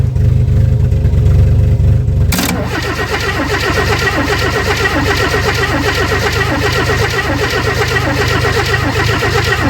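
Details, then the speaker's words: 1964 Chevy II Nova sitting about one to two years, started after pumping the gas; loud cranking, then it catches and settles into an even, steady idle with quick regular beat, no misses or knocks; runs super smooth, one brake possibly dragging. "There she goes. Yeah, buddy. Well, that was easy. can't believe how good it runs. It's super smooth."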